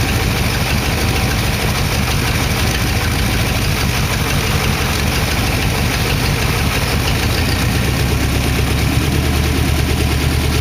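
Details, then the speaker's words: Warm idle of a 1914 Dodge T-bucket roadster V8 with carburetors after first start: steady, even low idle with a smooth firing rhythm and no knocks or ticks. Good oil pressure; the early lifter tick had calmed down. "the lifters were ticking when I first started it they calm down"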